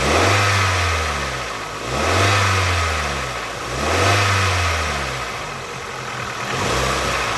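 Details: Nissan QG18DE petrol engine blipped in repeated rises about every two seconds, with a knock that seems to come in as the revs climb.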